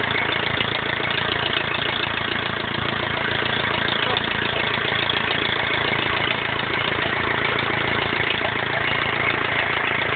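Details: BMW E46 320d 150 hp diesel, first start after overhaul fixing swirl flap failure: steady even clatter with quick regular beat at idle, no knocks or misses; normal idle.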